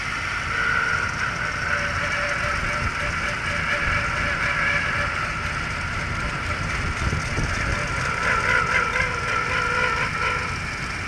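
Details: 2002 Jaguar X-Type 3.0 V6 running, microphone aimed at the engine-bay source; wavering mid-high whine over rough steady drone, unchanged after replacing the grooved belt and rollers; cause unknown.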